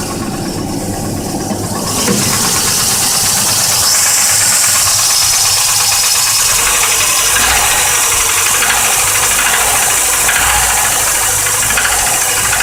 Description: Firing up 'ol reliable, she's got a nasty case.of piston slap.